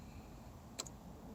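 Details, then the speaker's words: 2015 Chrysler 200, key inside, foot on brake, start pressed: two faint clicks in a quiet cabin and no cranking; recurring no start, dealers found no codes; no crank, cause unknown. "nothing I'm I'm tired of this car"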